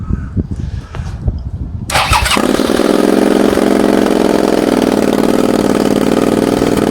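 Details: Suzuki SV650 after oil-leak seal and exhaust work: catches after a few seconds of cranking, then runs with an uneven, lumpy pulse instead of a steady beat; misfire, owner plans to check spark plugs and coils, cause unconfirmed.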